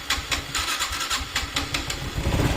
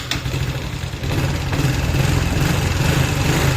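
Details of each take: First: Honda Wave 110i: repeated cranking without firing, very hard starting, unstable idle and hesitation; fuel pump, injector and spark plug changed without cure, compression feels low, diagnosed as faulty throttle body MAP sensor. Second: Honda Wave 110i after MAP sensor replacement for hard starting, stumbling acceleration and unstable idle: engine catches quickly and settles into a steady, even idle with light throttle blips; normal.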